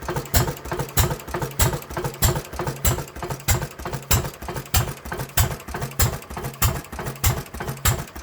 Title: International M 3 hp first start after repairs